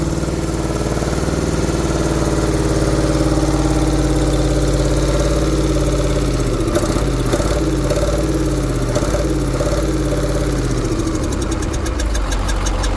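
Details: KAMAZ diesel truck idling; dull repeating knock under the clatter, persisting as revs shift; engine knock, cause needs further checks.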